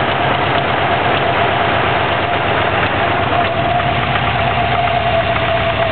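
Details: 2004 Subaru WRX boxer, stage 2 with stock turbo, Enginuity tune at 22 psi boost: a heavy, steady bottom-end knock keeping time with the idle after doing donuts on pavement; rod knock is suspected, cause not confirmed.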